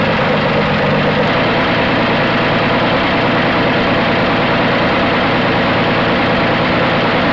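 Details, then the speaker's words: 1980 Dodge D150 petrol engine idling warm after a half-hour drive: steady, even idle with no knocks, ticks or misses. "my biggest complaint is it still seems to be idle in high so let me fire it back up see if we can't get the idle down a little more"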